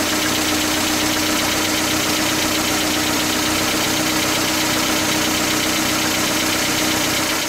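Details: 1977 Toyota pickup, rebuilt engine with the original rocker arm assembly left in: busy metallic clatter from the top end, about four ticks a second over the idle; worn rocker arm assembly rattling, later replaced, which made it much quieter.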